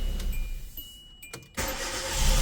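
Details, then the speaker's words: Hyundai Accent/Verna after dirty injectors cleaned, previously hard to start: brief crank, petrol engine catches at once and runs steadily; normal start, check light off. "Ya de hecho también se nos apagó la luz de check y ahí lo que es el arranque ya está perfecto."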